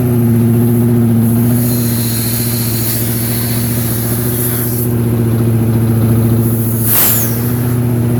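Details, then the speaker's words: Harbor Freight Predator engine on a small carpet-cleaning truck mount build, cold early-morning run with choke on: fast steady choked idle with constant low hum and even beat; normal cold-engine running. "Let me start it up. Early in the morning, choke it up. Yes, on, choke on."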